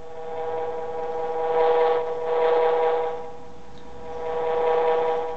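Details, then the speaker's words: 1988 Ford F150 with intermittent stalling: telephone pickup coil by a running motor gives a steady ~500 Hz hum swelling and fading as it moves; demonstrates monitoring fuel pump rotation while driving; motor running normally. "and you can hear that the motor actually turning and so what I actually did here now is I'm I've hooked one of these coils to my fuel pump"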